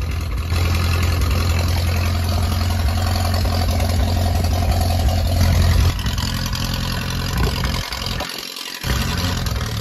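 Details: Ferguson T20 barn-find tractor out after 38 years standing, some small leaks remaining; steady even low putter from the four-cylinder, pulling smoothly and changing briefly with throttle; normal running.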